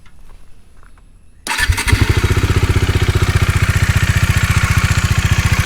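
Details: Bajaj Dominar 400 at 16,000 km; single catches and settles into a steady idle with a fast, even ticking riding on the thump, pointing to loose tappet/shim clearance.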